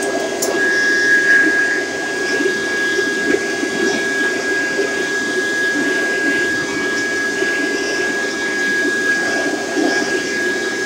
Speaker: but it all sounds kind of sick now even times of time you'll hear that high squealing noise on my vacuum